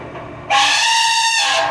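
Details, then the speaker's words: Outdoor AC unit (the third of several) in very cold winter weather: a sudden loud shrill screech or "elephant" squeal over the fan for about a second, then fading; owner suspects the cold makes the unit struggle. "this one isn't the third one's making that horrible elephant noise if I cover it's covered my ears because it's loud but it's making a screech"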